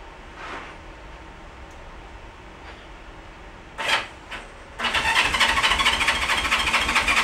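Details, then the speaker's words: Barn-find 1971 Honda CB350 cranked with fuel squirted into each cylinder; after a few tries it catches and settles into a rapid, fairly even firing, so it runs. The carb float is missing and the carburetors are to be rebuilt next. "that that's the sound I wanted to hear all right so I think uh we may have a uh a good candidate here"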